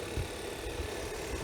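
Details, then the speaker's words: 2013 Hyundai Sonata Theta 2 engine, first start after in-car rod bearing repair following rod knock and P1326: light quick ticking from the top end at idle is the loud high-pressure fuel pump, no knocking; initial roughness fading. "the top and noise that you hear up there that's that high pressure fuel pump that's really loud"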